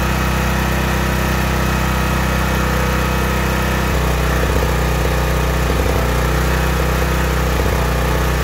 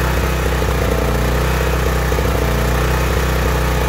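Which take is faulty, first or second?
second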